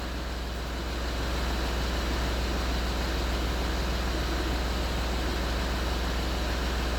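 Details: Land Rover Discovery 3 after replacement air suspension compressor fitted, engine running: steady airy hiss over low hum as air springs vent and body lowers; normal venting.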